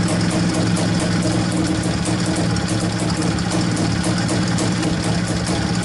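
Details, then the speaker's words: Izh-49 two-stroke motorcycle after treating piston knock with solid lubricant: steady, even drone at raised revs with no knocking or slapping; normal running, though an air leak between carburetor and cylinder remains. "Так ну что сказать Вы сами все видели сами все слышали по-моему никаких посторонних звуков Я не слышал Вроде бы все нормально должно быть"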